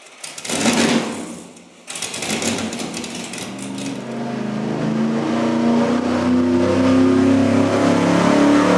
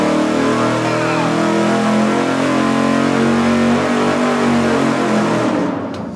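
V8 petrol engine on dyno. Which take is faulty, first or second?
first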